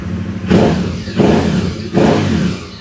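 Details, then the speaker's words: Aprilia Caponord 1200 Rally revved after refitting an uncut original airbox sleeve with a K&N air filter; three short crisp, even blips with no hollow intake roar, noise now from the rear, intake sounds normal. "donc là filt à kn manchon d'origine non [Musique] découpé là on sent que le bruit vient de derrière VI plus d'ici"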